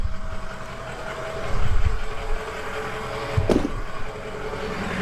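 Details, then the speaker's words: 6.0 Powerstroke diesel just after programming an SCT BX tune, with the turbo recently changed: a deep, steady diesel idle with no knock or rattle, not louder than before. Normal idle. "Let's start this thing up, see what happens. Don't sound no louder to me."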